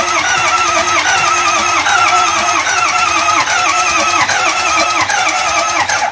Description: 2005 Ford F250 6.0 diesel will not start. Sounds a bit weird when trying to turn over.